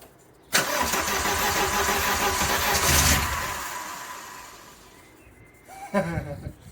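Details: Vauxhall Nova with a C20XE redtop engine on individual throttle bodies, first start after the engine install, fuel pump relay bridged because it isn't working properly: brief crank, then it catches cleanly and settles to an even idle before dying away; normal start and idle.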